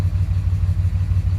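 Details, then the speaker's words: 2006 Dodge Ram 2500 4x4, Gen 3 5.9 Cummins diesel bought with engine problems: deep idle with rhythmic lope and periodic stumble, door visibly shaking, exhaust smells rich; misfire at idle, cause not pinned down. "i don't know if you guys can see that but the door is moving it's kind of shaking here so it's got a little bit of a miss"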